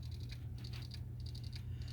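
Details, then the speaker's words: PS4 Slim that was dropped hard, only showing blue light and not booting ("cannot access system storage"): faint, quick, regular ticking several times a second from the damaged hard drive heads failing to read; fixed by replacing the hard drive. "it's just shining this blue light trying to boot up and it's not booting up and it's making this noise into the disc"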